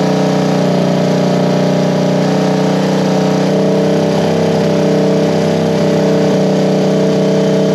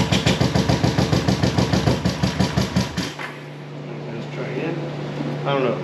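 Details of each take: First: 1973 Honda CB350G twin just after fitting Mikuni VM28 carbs: steady, even idle with firm exhaust beat, no misses or knocks; sounds pretty good, needs slight tweaking, fuel took a while to come through. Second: 1973 Honda CB350G twin, dead cold first start after fitting Mikuni VM28 carbs, fed from auxiliary tank: even starter cranking about three and a half beats per second for three seconds, no firing; no fuel reaching carburettors.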